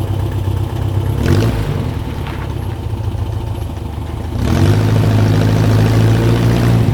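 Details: 1967 Volkswagen dune buggy, restarted after a first ride following a non-running purchase: even, slightly clattery idle that picks up smoothly and holds steady; healthy, good to go.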